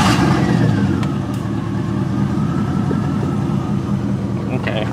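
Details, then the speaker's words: Supercharged Miata idling with a spark plug wire deliberately pulled: an uneven, stumbling beat with a missing pulse in its rhythm, a clear misfire from the dead cylinder, yet no check engine light comes on. "you can clearly hear it's misfiring"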